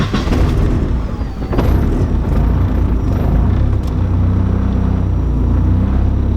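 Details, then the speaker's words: E85 engine, now slightly warmed up, with a tuning table changed back to replicate the problem: right after firing, idle surges and dips unevenly before settling into a lumpy hunt, showing idle speed oscillation. "so it's not as bad because the engine is a little bit warmed up now but you could see on that initial fire it had a really bad idle speed oscillation"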